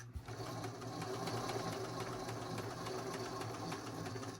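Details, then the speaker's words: Singer 533 sewing machine, thrifted, very dirty, before cleaning and oiling: fast even whirr with a dry regular tick-knock about three or four per second; something knocking, possibly the feed dog. "There sounds like something is knocking there, but that might be the feet dog."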